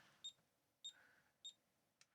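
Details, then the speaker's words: ZX Spectrum Plus with 8.8 V feed: three short high beeps about half a second apart, barely above hiss; audio output transistor presumed failed, causing a faint speaker beep. "The signal is there and then the left hand pin. Is has a signal where the other one didn't. So it's pretty reasonable to assume that the transistor is the problem here."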